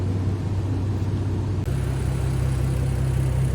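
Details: VW 3.2 VR6 on a road test after timing chain replacement: smooth, even engine drone under road load with a clean pitch step midway, no knocks, rattles or whine; the engine sounds healthy.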